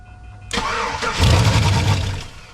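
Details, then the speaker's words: Chevrolet Silverado after ignition switch replacement, dead ignition fuses back-fed with voltage: engine catches, flares about a second, then dies at once; failed fuel pump suspected. "and it dies immediately."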